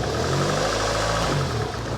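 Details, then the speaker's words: 1985 Honda Accord with 62K miles, just revived on about two gallons of fresh gas after long sitting; it dips at idle, but with throttle taps the note rises evenly into a smooth, steady hum. Possible heat shield rattle. "she's aggravated right as soon as you tap on the throttle i mean as soon as you tap on the throttle watch this watch what happens smooth"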